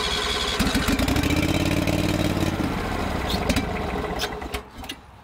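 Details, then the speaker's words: Old Toro greens aerator, believed 2002, dead battery: small engine catches and runs with wavering uneven note, then sags toward stalling; hard starting, has to run half choke until warm, owner suspects carburetor needs cleaning. "so she needs some love in the cart good old carb clean you know it does run but it needs uh needs love and it kind of has to run half choke until the run warms up"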